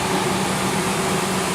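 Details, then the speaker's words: Back-lot truck with a Triton 4.6 L V8 at idle, brake and anti-lock warning lights on; short steady idle with an even low drone and no knocks or ticks; sounds smooth, and the exhaust is not loud. "Sounds real good. Doesn't even sound like the exhaust is that loud either."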